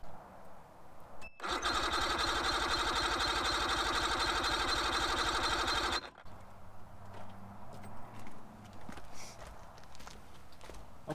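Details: About-1990 Mercury 75hp outboard on a 1992 Avanti 170 FS (year uncertain), compression test during first diagnosis: starter spins it at a steady four even pulses per second for about five seconds; cylinders reading about 90 psi, healthy.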